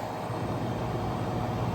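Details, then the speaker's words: 208 V walk-in cooler condensing unit, restarted after repair with box at 66°F: steady low hum and fan rush, no rattles or cycling; head pressure 250–260, clear sight glass, pulling down normally. "Between 250 and 260 head pressure. We're gonna let this thing pull down, but golden. Should live to fight another day."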